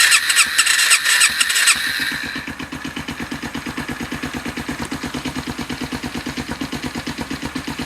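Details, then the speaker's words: 2008 Sachs X Road 125 single, electric start with a new battery, on a cold day with the fuel tap on: the starter whirs and squeals about two seconds before it fires, then settles to a rapid idle. Hard starting is unusual for this bike. "now i don't normally have that trouble starting it and it's probably because we've had su"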